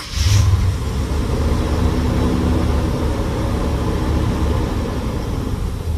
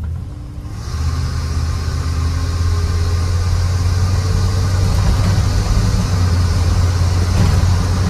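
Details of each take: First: GMC 3500 V8 truck with a Quadrajet carburetor, all eight new spark plugs gapped at .045, jump-started: catches and settles into a steady, even low rumble with no misses; running very well. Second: GMC 3500 truck, recently returned to running and smoking some burnt oil, gives a deep, heavy roar from the intake that swells under full throttle, louder than stock; an earlier disconnected-hose hiss was fixed, and the roar's cause is unknown.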